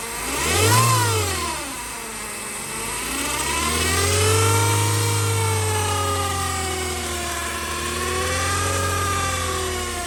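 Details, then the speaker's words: Chevrolet Cruze 1.8 transmission: loud jet-like howl rising and falling with revs over the engine, from broken internal parts; gearbox wet with leaking oil though level still full, so it is to be opened up. "Nó đang kêu như máy bay này."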